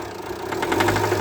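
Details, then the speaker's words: Jeep Compass 2.0 TD350 diesel at start and light revving, shaking at idle: loud, sharp pin-knock rapping about eleven times a second, caused by a diesel injector stuck open. "Pessoal, vocês ouviram um barulho? tipo um castanhado batido de pino por causa do problema."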